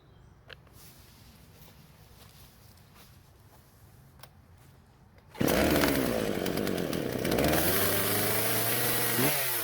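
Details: Husqvarna chainsaw that wouldn't start, both carb screws turned out slightly to richen; quiet start, then fires, revs and settles back without stalling; now idles normally.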